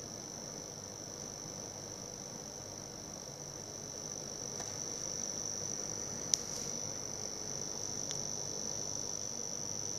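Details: Cooler Master V700 power supply: thin steady high-pitched whine/buzz over soft hiss, coming randomly under load or idle for 10–30 minutes; persists in paperclip test with no hardware attached, across sockets, surge protector and AVR.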